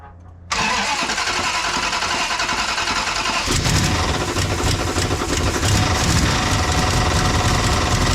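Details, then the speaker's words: Dodge Charger 440 big-block with a damaged K-frame and an oil pan crushed from bottoming out: it catches at once, then an uneven metallic clatter of about three hits a second rides the idle. The crankshaft is striking the oil pan or pickup tube. "Yeah. That's what it is. So, the crankshaft is hitting the oil pan or the crankshaft is hitting the pickup tube."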